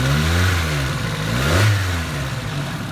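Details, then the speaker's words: 1985 Toyota Tercel parts car, revived after about a year unused: engine revs up and settles to a smooth, even purr with no top-end ticking, valvetrain quiet and healthy, unlike the owner's other Tercel with suspected lifter tick. "It's, I don't know, it's weird that way, but this one, if you listen carefully, it's really quiet, purrs like a kitten."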